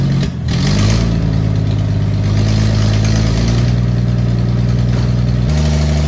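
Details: 1974 Toyota FJ40 barn find, not run in about five years: steady deep drone with a raspy puffing edge; owner notes a big exhaust leak under the hood.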